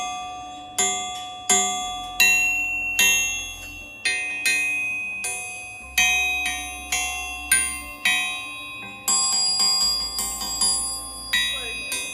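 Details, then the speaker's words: Bare crankshafts, a Magnum and a Callies Compstar, for a 532ci big block Chevy build, tapped before assembly. About a dozen taps each ring out long and clear like a bell with a slow, even fade; a good crankshaft ring. "I've always heard that good crankshafts ring like a bell and that's insane to me"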